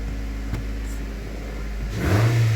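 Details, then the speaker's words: 2014 Nissan Altima 2.5 with P0011 stalling and low power, after repair: steady low hum, then a quick clean, strong rev rise with snappy throttle, no more stalling and a higher idle; running normally. "oh wow that's a lot of power that's a Snappy throttle"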